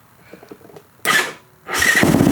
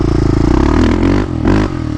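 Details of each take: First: Yamaha Raptor 660 ATV after transmission replacement and weeks of electrical system repair: first start attempt, brief crank then catches at once into a steady, lumpy single-cylinder beat for about five seconds; clean start. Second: Yamaha Raptor 660 single-cylinder with Lexx exhaust, after transmission repair: thump climbs with throttle but briefly sags and stumbles mid-rev; owner suspects idle jet and needle need adjustment.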